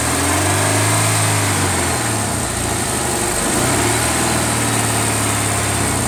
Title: Ticking noise